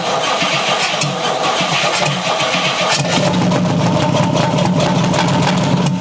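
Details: 1956 Chrysler Windsor 331 Poly/Semi-Hemi V8, freed from stuck, run with no carburetor: catches and runs roughly at fast idle, no regular hammering under exhaust note; bottom end sounds sound.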